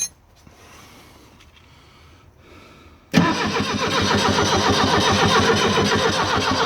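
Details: Abandoned Fiat Hitachi FH150 excavator diesel: steady heavy chugging, about four beats a second, as the starter turns it over; it almost starts but never catches.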